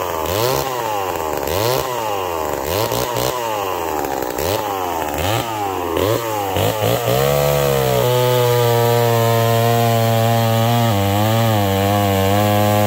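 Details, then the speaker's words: McCulloch Pro Mac 1010 chainsaw with a freshly sharpened chain. Revs rise and sag with each cut, then hold a clean, steady high scream with no missing. It cuts strong and healthy. "that an aircut's pretty dang good now that my color used to cut like that"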